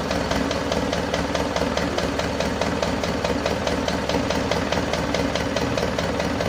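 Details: Isuzu Panther 2.5 diesel after overhaul with NPR parts and a turbo/intercooler upgrade, first started after sitting about two weeks. A light, regular tick at about two per second over the clatter, possibly valvetrain parts not yet settled; oil pressure is normal while warming up.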